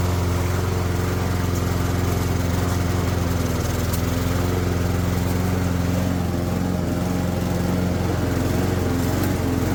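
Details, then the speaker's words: Junked Toro mower after cleaning the carburetor jet: a steady, even buzz at constant speed with no surging or missing; self-propel only works a little because the belt is worn hair-thin. Normal running. "Self-propel is working a little bit."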